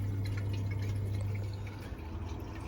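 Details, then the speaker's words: Vaillant 937 boiler after replacing a washer (pump itself fine), system refilled and boiler fired: low hum with gurgling, trickling water in pipes from air trapped after refilling, needs bleeding; no leaks, both pipes hot. "that should be full you can hear air in there we'll get that out in a second"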